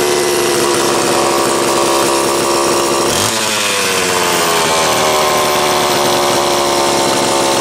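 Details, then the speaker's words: Homelite Super XL two-stroke chainsaw, cold start after nearly two weeks unused, with starter, carburetor and fuel cap serviced, new spark plug and rim sprocket; fires up and runs crisp and steady, pitch lifting cleanly, no misfire or bogging; normal. "let's go ahead and take a listen it's been just shy of two weeks since i ran it last see what it takes for a cold start"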